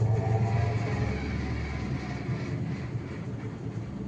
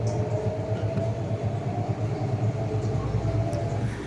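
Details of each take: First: IFB washing machine during spin: deep steady rumble with a rhythmic thud about three or four times a second as the drum spins up; something knocking during spin, drum to be removed and checked. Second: IFB washing machine after drum removal and check for spin noise: smooth constant low hum with even pulse, no scraping or banging; drum now spins normally, earlier noise gone.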